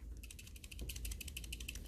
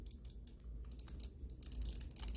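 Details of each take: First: Cooler Master MM710 mouse shaken after click post-travel fix: fast light plastic ticking from the two zip-tie heads added inside the front rattling loose; gluing them down would stop it. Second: Cooler Master MM710 mouse after the post-travel fix: rapid, sharp, crisp button clicks with barely any pre-travel, where they were mushy and creaky before.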